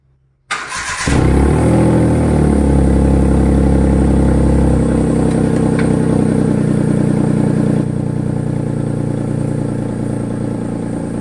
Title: HYUNDAI EON SILENCER IS MAKING A NOISE LIKE A RACE CAR.CAN ANYONE TELL ME WHAT THE PROBLEM IS?!🥲😓😰